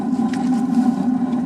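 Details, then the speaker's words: Propane burner on a newly installed Suburban RV water heater (replacing a leaking tank) lights after several tries; steady even roar with low hum, no sputter or popping, flame blue; normal burner flame. "Sounds good. Nice and blue. That's what you want."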